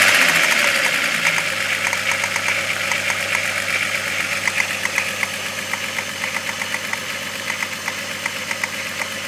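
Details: 12-valve VR6 at idle: sharp metallic ticking about four times a second, fairly even; owner suspects rod knock, not confirmed.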